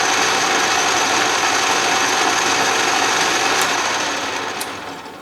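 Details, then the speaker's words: Restored 12-inch Atlas Craftsman lathe, power feed run with the quick-change gearbox at its finest feed: steady fast gear whir with even ticking about four per second; the feed train runs normally. "let it come to a stop we'll try the other direction and that sounds good too"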